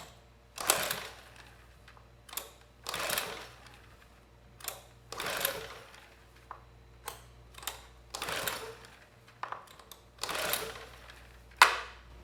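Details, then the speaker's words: Sportsman GEN2200DFI 1800 W inverter generator (Yamaha MZ80 clone), airbox off with fuel fed directly into the intake: seven or so dry rasping recoil pulls in twelve seconds, no firing; owner suspects timing, though rare; exhaust and spark arrestor clear. "again nothing and still we get nothing from this machine so yeah it could be timing but it's very rare"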